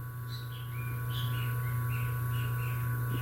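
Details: Motor on an undersized 7 µF run capacitor: a heavy, steady low AC drone over faint background chirping. Current is 2.2 A and the auxiliary-winding current is very low, so the current lag goes uncompensated.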